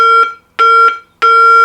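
Three even electronic tones about half a second long with short gaps between, clean and steady, so the call tone is working properly.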